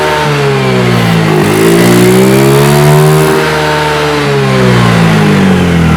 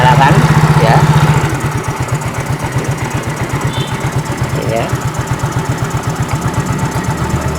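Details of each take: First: Fuel-injected scooter that wouldn't idle or rev, after cleaning throttle body with carb cleaner: engine note climbs and falls cleanly with throttle, no stumble or bog; revs freely. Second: Fuel-injected motorcycle that won't idle and won't rev: single-cylinder idle thumps about four a second but sags and hunts; dirty throttle body sensor, cleaned by spraying carb cleaner into intake with engine running.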